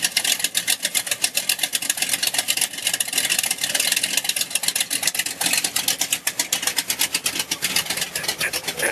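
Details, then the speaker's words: 1971 Buick GS V8, self-built engine, 3-inch exhaust with 12-inch Cherry Bomb glasspacks: loud crackling exhaust pulses at a fast, even idle with no knocks or ticks; healthy, just obnoxiously loud. "Got 3-inch exhaust with 12-inch cherry bomb glass packs on it. It is pretty obnoxiously loud at this point."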